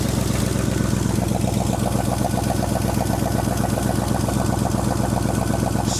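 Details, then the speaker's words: 1965 Ford Mustang, 289 2V V8 with 4-speed manual, 30 years in a junkyard, first start in neutral on leftover fuel: idles with a steady pulse of about two and a half beats a second but runs only at idle; carburettor not functioning beyond idle. "So, the carb is not functioning but at idle."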